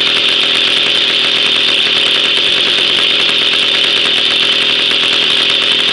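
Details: Jawa 50 type 05, 1966 two-stroke engine, first start after 20 years idle and rebuild, original points ignition and coil, no break-in: high, buzzy note holding steady with even crackle, running cleanly.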